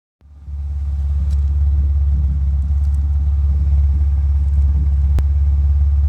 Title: Misfire at idle